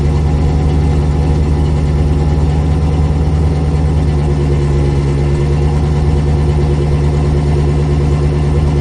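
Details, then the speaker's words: C4 Corvette idling just after a cold start following 2–3 months sitting on a battery tender; deep, even idle with steady low rumble, no knocks, ticks or misses, smoke from the exhaust tips; healthy. "But from inside the car, it sounded like it was a pretty legit cold start if you ask me."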